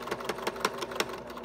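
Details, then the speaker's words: Sewing machine stitching after mending through many thick layers; rapid stitching about six strokes a second with a sharp thud on each stroke; the needle is slightly bent and needs changing. "did you hear that outside that means that that needle is a little bit bent because it was really hard going through lots of layers different places yesterday so that tells me I need to change the needle"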